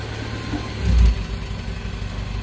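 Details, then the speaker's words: Toyota Soluna after replacing the faulty spark plug wire: the exhaust now has a steady, even idle rhythm instead of the earlier blub-blub, with no limping. Combustion sounds normal on all cylinders. "Ini udah enggak kayak tadi iramanya udah stabil ya kalau yang tadi itu bl bl gitu ya Nah ini udah stabil udah oke"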